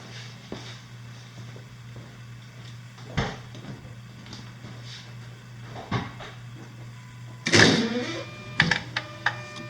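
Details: 2008–2011 Dodge Grand Caravan / Chrysler Town & Country 3.8L, first start after replacing spark plugs and wires: low steady even idle, some handling clunks, no misfire; normal idle, wires in correct cylinder order.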